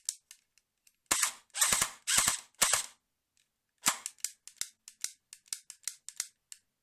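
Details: Colt M4A1 airsoft AEG in single-shot: a few shots, then light dry trigger clicks about twice a second without firing; switching to full auto and back often cures it; MOSFET, motor, connectors, gears, shimming, trigger contacts, anti-reversal latch already tried; cause unknown.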